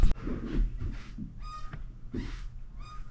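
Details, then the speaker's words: Squeaky subfloor in a master bedroom after carpet removal, before new flooring: loose subfloor sheets moving on nails and joists give high, thin squeaks and low creaks and groans with each step, worst at one bad spot. "So there's just all kinds of creaking, groaning. There's a bad spot there. Squeaking."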